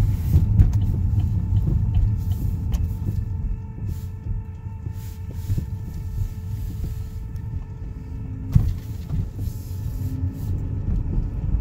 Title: 2013 Buick Verano whining noise